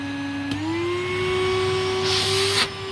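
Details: Hoover vacuum from the tip, run without a bag and smelling damp, switched from low to high. Motor whine steps up in pitch, then holds a steady, even hum. Sounds healthy.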